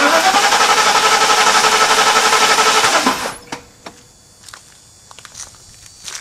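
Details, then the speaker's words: 1991 Mercedes-Benz 420 SEL that broke down after heat soak on a hot day: cranks evenly but never fires, a crank-no-start; test lead on coil tower shows no spark, owner suspects a bad ignition coil, not confirmed. "like I suspected, didn't get any spark. So now, it's looking more and more like a bad coil."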